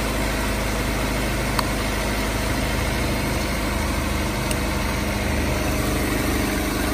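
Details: Car engine idling steadily with a smooth low hum and no knocks or misses after a jump start from a Clore JNC770R Jump N Carry on a dead battery; the car shows it is charging and runs cleanly.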